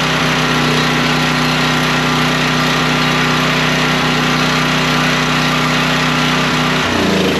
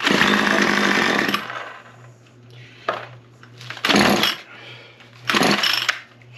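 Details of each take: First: Generator after parts replacement, running with a vacuum cleaner plugged in as a load: it holds a steady, even drone with no misses or surging, settling briefly near the end; it runs smooth. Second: Small two-stroke engine: it catches and screams about a second, then dies to weak pops on later pulls. The mechanic suspects worn-out carburetor diaphragms.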